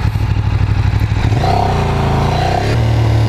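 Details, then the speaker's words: Ducati Streetfighter track bike on its first ride, pulling through the midrange: a rattly, uneven chatter over the exhaust around 3,500 rpm, which the rider suspects is a low point in the fueling and not a fault. "Right about like 3,500 RPMs. Hear that weird kind of like chatter? It sounds like it's just at a kind of a low point in the fueling."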